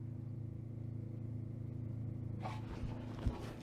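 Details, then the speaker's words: Hillman Imp "Hilda" with a Citroen Saxo VTR engine, off the road two years: electric fuel pump, newly wired through a Saxo inertia switch, runs with a quiet steady low whirring hum; working normally. "fuel pumps running up here that's under there so really huh okay"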